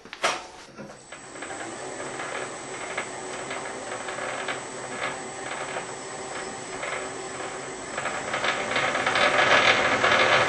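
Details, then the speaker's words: Imperial lathe in back gear with 127/100 change wheels for metric threads, guard open, three-phase motor: steady clatter of fast gear-mesh ticking with a hiss; normal back-gear noise. "As you can hear, it's quite noisy. This is normal. These lathes are noisy in back gear, nothing to worry about."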